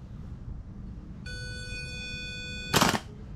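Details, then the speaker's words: Car that clicks and won't start, with a new starter bench-jumped with power, ground and switch signal: steady high hum, then one sharp snap and silence with no cranking, as the starter solenoid isn't kicking in. "you hear that so some reason the solenoid it's not kicking in right"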